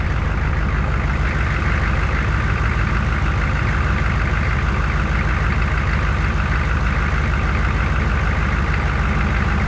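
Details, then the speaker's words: 1969 Chevrolet C10 V8 idling: steady low rumble, even beat, no knocks or misses; it cranked poorly with the AC on but started once the AC was off; owner suspects bad wiring not delivering enough current; idle sounds healthy. "It's is it's it's not getting enough flow to where it's going to start this engine. Once it starts with it, it sounds like a bad hell."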